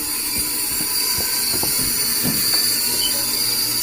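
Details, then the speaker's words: Steam boiler automatic water feeder: low water cutoff not triggered, water level high, yet the solenoid won't close; steady high hiss of water rushing through with faint ticks and no shutoff; solenoid stuck open, whole feeder to be replaced. "But when it comes time to shut off, the solenoid is not closing. Put the water supply on. You can hear that pissing through."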